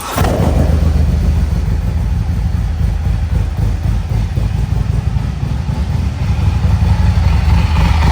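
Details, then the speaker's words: Harley-Davidson Street Glide Special due for a heavy-duty clutch job. A loud, lumpy V-twin idle with heavy rattle and slap underneath, an unknown sound that is too loud inside. Primary chain slap from a snapped tensioner. "so it's definitely something's not right. It's definitely a little too loud in there. We don't know what it is."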